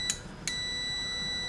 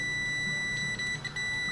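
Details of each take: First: Airline 62-306 Teledial vintage radio on/off switch-volume control after cleaning with CRC electronic cleaner: two quick chirps, then a steady unbroken continuity beep while the control is rotated through; the intermittent switch contacts now make good continuity. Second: Montgomery Ward Airline 62-306 Teledial radio, on/off switch on volume control checked with continuity meter: steady beep drops out as switch is wiggled, intermittent contact; hoped to be a cleanable contact issue.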